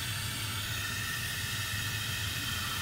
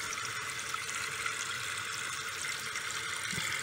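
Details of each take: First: Toilet tank with a constant steady hiss of water flowing that never shuts off and stops when the supply is closed. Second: Toilet after a complete fill valve replacement and reinstalled supply line, water turned back on: steady hiss and rush of water filling the tank, no dripping or spraying or leaks; normal refill.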